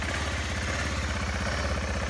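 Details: 1.5-year-old BMW G650GS single-cylinder that would not start, running on its battery after topping it up with water and no recharge; steady, even idle thump with no misses or knocks; runs normally.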